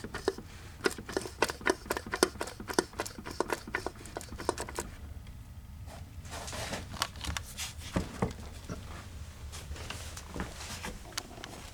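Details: 1982 Mercedes-Benz 240D OM616 diesel, 259,000 miles, turned slowly by hand: sharp uneven clicks and taps, piston slap; No. 3 piston skirt below the gudgeon pin broken, pieces found in sump; engine still ran well but loudly.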